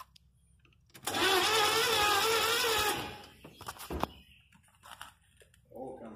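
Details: 1983 Chevy van, gas poured into the carburetor for a start attempt: about two seconds of steady starter whirr, pitch wavering slightly, then drops away without firing; cranks but won't start.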